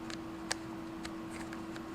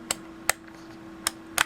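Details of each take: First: Multimeter rotary switch after a 50,000-cycle life test, turned by hand: scattered soft, uneven ticks with no firm snap between positions; the cam nubs are worn off so the detent spring barely holds, and metallic dust was found inside. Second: Brymen BM869s multimeter rotary switch that has been through the 50,000-cycle life test, turned by hand: four sharp, crisp detent clicks with clean snaps and no scratchy drag, a healthy switch.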